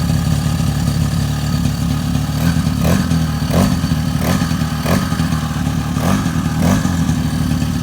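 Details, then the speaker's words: Freshly top-end rebuilt 2002 Suzuki LT-A50 50cc two-stroke quad, Wiseco piston, first break-in just after first start, warming up and getting hot: busy two-stroke buzz with regular light throttle blips, even and clean; normal healthy running. "so basically we're doing the little first break-in just idling making sure everything goes through and and then we'll start giving some revs we'll put on a little stance try to rub it out but yeah it sounds healthy I was getting hot getting hot"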